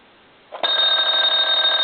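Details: German telephone after repair and conversion, final checkout with on/off switch: after a half-second of quiet the bell rings bright, steady and high, holding evenly; ringer working properly.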